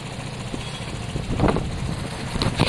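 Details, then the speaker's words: Piaggio Fly scooter after an engine swap, first start with oil only half full: single-cylinder engine at an even, low idle putter with no knocks or rattles, a little smoke from sprayed WD-40; sounds great. "it sounds great um a bit of smoke coming off the exhaust from where i've been spraying wd don't need to worry about that um it sounds great"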